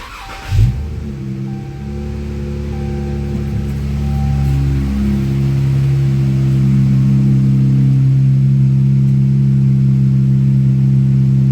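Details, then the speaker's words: 2017 Chrysler 300, 3.6 Pentastar V6, first start after replacing fuel injectors, stock intake tube temporarily refitted: catches quickly, smooth steady hum, even pitch, no misfire, stumble or tapping; normal running. "Sounds pretty smooth."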